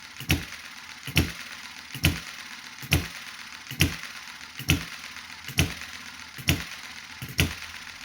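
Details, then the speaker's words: Chinese model hit and miss engine after months unused, warmed up: crisp firing beat about once a second, evenly spaced and steady; slow, smooth normal running. "that's a very steady smooth running engine as you can hear"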